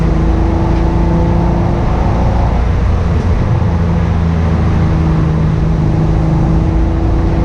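Engine runs at a low, steady rumble with an uneven, lumpy beat underneath; it sounds like a misfire.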